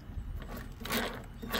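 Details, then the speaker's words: Husqvarna self-propelled mower drive wheel spun by hand: rough, gritty grinding surges about twice a second as drive gears fail to mesh, caused by a bent wheel shaft; fixing it made the spin cleaner without grinding. "yeah so it's the gear you can hear we'll try it out see how it works"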